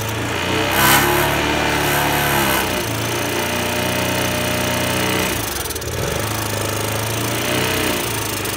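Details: Honda Today moped engine running poorly: buzzing that surges and sags without climbing cleanly, stumbling as throttle opens; won't rev out; carbon buildup suspected, engine conditioner being tried.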